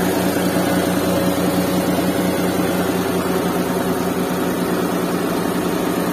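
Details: Restored Suzuki Mehran with a WagonR K6A 660cc engine and 3-speed automatic, vibration test with a glass of water on it; even, steady low hum at idle, no knocks, misses or shake, smooth healthy idle.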